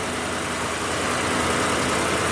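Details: V8 idling steadily and evenly, with no knocks or misses, right after a jump start from a portable jump starter; the battery held only 9.7 volts from sitting. Normal idle.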